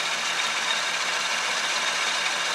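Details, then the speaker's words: 1966 Chevrolet C10 started after an oil change: smooth, even idle around 800 rpm with no misses, knocks or hunting; normal idle. "we're like right about 800 RPMs that's not too bad I'll leave that for now"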